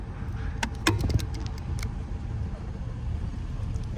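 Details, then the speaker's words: 2011 Toyota Corolla driving after a 12 mm bolt under the steering column was tightened: steady low road rumble, and the faint rattle over speed bumps is gone. "yep I don't hear the rattle anymore"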